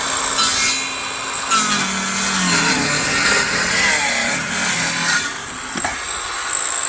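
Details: Parkside 20V cordless circular saw (PHKSA 20-Li A2 or C4) on 2Ah battery cutting timber: steady high motor whine, rasping cut sagging under load then recovering; normal healthy cutting.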